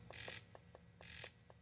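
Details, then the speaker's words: Fuel injector on a Thikpo injector tester, setting one (single burst per click): two sharp hissing spray bursts about a second apart, each with a quick click; injector firing normally. "a burst. As you click it, it goes."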